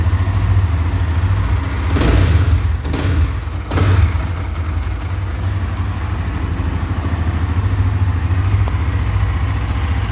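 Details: Honda CB Twister 2020: steady idle with a clattery mechanical rattle and a couple of brief louder surges; abnormal engine noise at idle, cause unknown.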